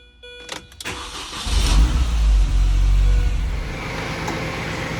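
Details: Mini race car after swapping in a replacement engine and refilling oil, gear oil and coolant, first start: a few clicks, short crank, then engine catches and settles into an even idle without stumbling; starts and runs normally.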